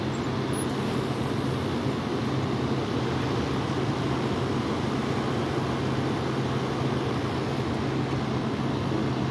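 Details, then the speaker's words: Frigidaire window AC unit, unused for over a year, set to cool at 66: compressor kicks on after about 10 minutes and runs with a steady low hum and even fan whoosh, no knocking or rattles. "I think she just kicked on yep he just kicked on"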